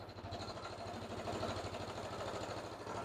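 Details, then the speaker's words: Jonway Master 250 scooter, owned since 2006, under restoration, just after a cold start with coolant system fine: steady, even idle putter with no knocks or misses; vapour seen is water from washing, not smoke; normal idle. "It starts easily. It hasn't been started today yet, so let's see quickly. That's it. Runs."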